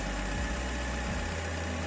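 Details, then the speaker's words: Toyota Rush engine at idle with the AC off, after a throttle body cleaning and a fitted high-flow filter: steady, even idle with a low, settled tone and no hunting or ticking; idles smoothly. "hey guys that's the engine sound with ac off"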